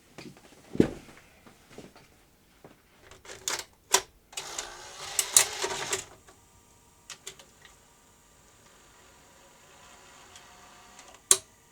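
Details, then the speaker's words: Sony BVW22P Betacam/BetacamSP office player: irregular clicks and clunks around a labored motor whir as tape threading strains; sticky guide arm whose follower in the ring track won't swing through. "it should push that arm through but it's still sticky so we'll apply a bit of suitable lubrication to that"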